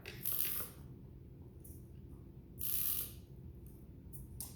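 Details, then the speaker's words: XK K130 RC helicopter servos after a crash, pitch tested: short bursts of buzzy ratcheting as the servo sweeps, catching at one spot each pass; gears stripped on two of the three servos. "as you can see I did break gears on three of us well two of the servos of the three"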